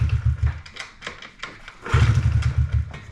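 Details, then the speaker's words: Honda CRF50F, ran perfectly after carburetor cleaning then quit at the track: fuel turned on via a very stiff petcock, two short bursts of low, ragged firing that stumble and die; owner thinks it's not delivering fuel, petcock suspected, new petcock later fixed it. "Yeah, I just think it's not delivering fuel."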